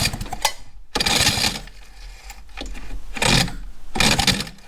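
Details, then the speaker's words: 1955 DKW Hobby after carb rebuilds and spark and timing setup, first start attempt: harsh rasping bursts come and go with quiet gaps as it cranks and catches. Owner thinks the horrible noise is something to do with the starter motor; cause unconfirmed. "I don't know what that horrible noise is. It's something to do with the starter motor. But as long as it's catching, that's fine."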